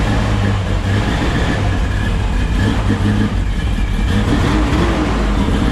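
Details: 1972 Chevrolet C10 shop truck after first start: deep steady rumble with an even beat and no knocking, tapping or clatter, after the bell-housing knock was traced to the inspection plate and cut away; engine running smooth.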